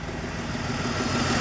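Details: 2004 BMW 325i after restoring lost compression: steady, even idle with smooth low rumble, no misfire or knocking, still burning off oil; running fine again.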